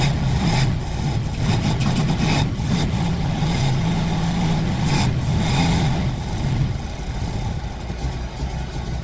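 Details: Fox Body Mustang ("Black Widow"), long-sitting, runs with a deep steady rumble, revs rising and settling smoothly; smoke clearing, owner suspects bad gas had sat in the fuel rails.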